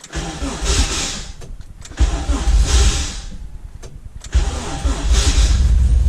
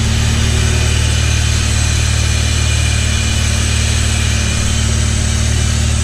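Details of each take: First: 85 engine, cold at a weekly winter warm-up, with a worn-out starter: three sluggish cranking bursts with pauses and no catch. Slow cranking from a weak starter, hard cold start. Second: Honda CT70 with 85 engine, just started cold and left to warm up: steady even idle about three firings a second, no knock or miss, fast idle settling as it warms; normal idle.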